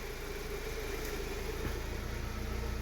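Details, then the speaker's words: 2018 Hyundai Solaris idling after a remote start by an installed Prizrak GSM alarm with autostart, armed with doors locked: a steady, even low idle with no knocks or misses. Normal idle. "Запускаем двигатель. Двигатель запустился."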